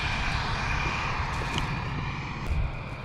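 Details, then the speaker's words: Newer John Deere tractor diesel at startup with AC compressor about to be switched on: deep, steady rumble with a thin, even turbo whistle, no growl or knock; normal running. "sounds like a rocket no growl to these new tractors that sucks"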